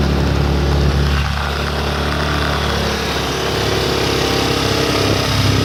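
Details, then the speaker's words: Baja 90cc minibike after an engine swap, cold and run for the first time that day: small single-cylinder buzzing fast and steady with no throttle, idle set too high; the idle adjustment screw is being backed off. "Just a tad bit. Still revving a little high."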